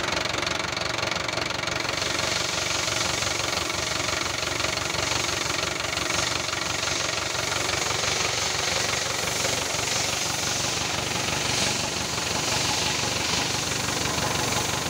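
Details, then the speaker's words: Daihatsu Sigra at idle right after clearing misfire and starting-malfunction codes: starts instantly but idles unevenly and lumpy with a fast irregular knocking patter and heavy hiss; severe blow-by from worn rings, described as too far gone. "Langsung jreng pak, mobilnya starternya langsung jreng, tapi mesinnya ini kayak gini."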